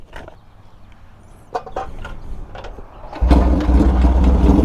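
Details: Vintage motorcycle starts on the first kick after a few scuffs, firing at once and settling into a healthy, steady idle.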